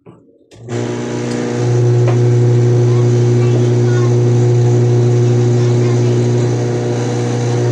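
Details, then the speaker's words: Washing machine after motor replacement, reassembled and run dry without water; spins up within a second into a steady, even hum, slightly loud with no water but turning normally: normal running. "Okay lang yan importante umikot yan"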